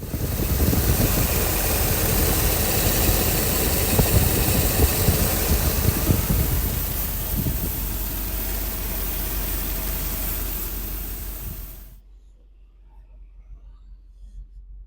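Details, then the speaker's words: 1990 Mercedes-Benz 500SL R129, microphone held close to the engine with cover off: smooth even idle with steady belt and cooling fan whoosh for about twelve seconds, then shut off; normal idle. "We can see the fan is running, so you are hearing the fan in addition to the big belt."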